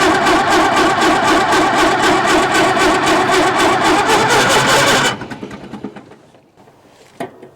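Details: 1950s Caterpillar Traxcavator track loader diesel, long unrun, batteries rewired in series for 24 volts and fed ether: brisk, even cranking about four beats a second for five seconds, then stops without firing; cranks but won't start.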